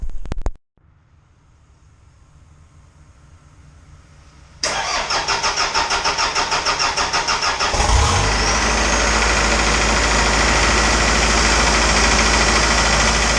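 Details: Isuzu 4BD2T diesel first startup after build prep, oil leaks cleaned: starter cranks, engine catches and settles into a steady, even diesel clatter with no misses; healthy idle.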